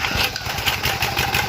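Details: Quick, regular popping beat from an old power washer small engine right after its carburetor was cleaned, firing evenly with no misses on the first pull.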